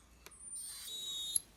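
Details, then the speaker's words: Nikon Nikkor 17-35mm f/2.8 AF-S D lens: focus motor held past infinity gives a thin high-pitched squeal; normal back-and-forth focusing is fine — faulty autofocus motor squeal. "but if I try to hold a pass infinity you hear that squeal"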